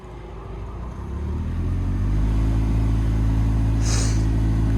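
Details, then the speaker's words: Car heater blower fan, ignition on, engine off: deep steady tractor-like drone builds as the fan spins up; a parking ticket lodged in the fan housing is restricting the air. "can hear sounds like a tractor so if we uh put this to internal circulation so the flap opens yeah knock the engine off"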